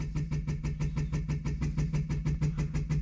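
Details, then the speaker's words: 1964 Ferrari 250 Lusso, key on, electric fuel pump starting after a tap: quick even ticking about six per second with a low hum underneath, pump running and priming; fuel gauge reads empty, fuel delivery unchecked. "sounds like it's working i don't know if there's any fuel in there we'll have to check that later but that's a good sign"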